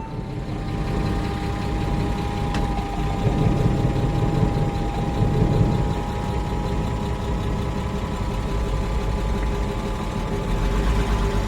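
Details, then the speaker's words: Cheap Porsche Boxster flat-six that hadn't run in a while, started after fuel pump replacement with fresh gas: uneven, lumpy idle with occasional stumble over a steady drone; owner suspects a misfire needing spark plugs, possibly injectors; unconfirmed rough idle. "I think it's missing it probably needs some spark plugs or something it probably needs spark plugs"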